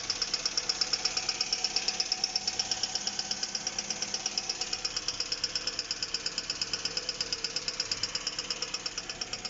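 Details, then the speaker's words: Hyundai G4GC engine, nearly 200,000 km, knock since 180,000, constant for last 500 km, no effect on driving: sharp light tick about 85 per minute over quiet idle, cam phaser side; owner suspects cam phaser, unconfirmed. "И вот такой вот звук стал постоянно, примерно 500 километров назад. Ой. Доносится он со стороны четвертого цилиндра. Ну, не четвертого цилиндра, со стороны фазовращателя больше. Так вот тарахтит."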